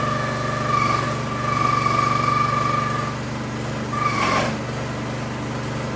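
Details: New Harbor Freight Predator 212cc engine on a Prime Mover forklift that sat outside 15 years, on straight gas with stabilizer, first fire-up: steady quick even putter with a faint high whine and no misses; normal idle.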